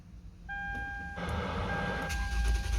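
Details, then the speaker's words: Toyota Venza with smart key and a new, fully charged battery: a chime, then steady cranking with no start once the booster is removed; it starts only with the booster connected. Cause not yet found. "and now you see crank no start so let's see what's going on here guys"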